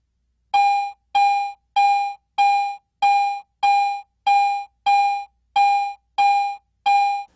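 Eleven identical, equally loud mid-pitched beeps, about one and a half a second, as a coin passes the coil.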